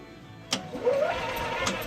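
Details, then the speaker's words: EZGO golf cart: on barely pressing the gas, the solenoid engages and the engine should only turn over, but here it tries to catch and fire, a whir that causes backfiring. "It's trying to crank up sometimes, which you're going to experience backfiring for."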